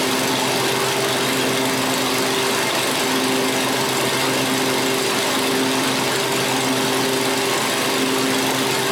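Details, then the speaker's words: 7-year-old Craftsman 28-inch walk-behind, left out over a year with broken cables, running after repair while warming up: steady, even high buzz at 3240 rpm with no misses or hunting. It sounds healthy. "3240, that's a good RPM. It sounds good."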